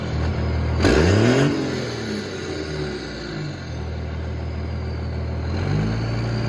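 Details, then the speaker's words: Cummins diesel truck around 45-50°F, after working on an exhaust brake that had been frozen open: revs up with a rising turbo whoosh, then a sweeping blow-off on throttle lift instead of a faint whistle; normal turbo spool and blow-off. "When I let off, it's not just like a little bit of a whistle. It's like the actual, like, Cummins blow-off sound. And it sounds frigging amazing,"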